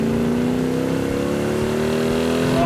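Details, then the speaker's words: Freshly restored 1967 Hemi GTX convertible, dual quads, on road test; deep smooth V8 burble climbing evenly as it pulls hard with strong torque, no misses or knocks; healthy engine, exhaust sounds great. "those dual quads open up you can hear it yeah you can hear it coming down the road that is one snarler of an engine I see why they like the exhaust that does sound really good"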